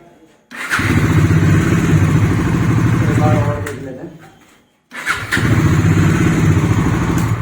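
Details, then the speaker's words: Bajaj Dominar 400 after a bearing replacement: it starts on the first self-start press and settles into a steady, even idle, then restarts on the first press after shutdown. The earlier engine problem is gone. Normal start. "तो आपने देखा एक ही sulph में start हो रही है तो इसमें जो इंजन थ्री हो रहा था इसके वो वाली प्रॉब्लम खत्म हो गई है"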